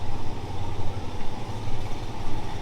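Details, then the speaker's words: 1964 Chevelle started after the broken exhaust pipe was fixed: deep, even burble at idle with steady low pulses and no puffing or ticking; clean, quiet, healthy idle. "Not bad to listen to. No more noise. No more nasty broken exhaust pipe sound. She doesn't sound very mean, but clean and quiet."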